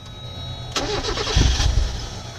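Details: 1994 Mazda Miata 1.8 with fuel pump harness unplugged to purge fuel pressure before pump replacement: engine catches, runs rough about a second, then sags and dies; stalling from fuel starvation, done deliberately.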